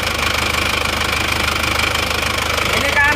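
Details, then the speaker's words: Isuzu Panther automatic diesel, aged, oil-soaked engine: idle with steady hard chuffing pulse under the rattle, pressurized smoke jetting from the engine rather than mere vapor; heavy blow-by from badly worn cylinder liners. "kalau dilihat kan asapnya itu memang menyembur ya tidak sekedar uap biasa kalau boleh kan asap biasa tapi ini kan menyembur ini jadi ada tekanannya"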